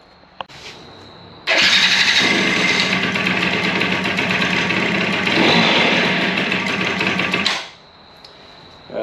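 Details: Suzuki DS90 two-stroke after rebuild with a used replacement crank, first start and heat cycle: catches quickly, busy buzzy idle with a short rev midway, then shuts off; running cleanly.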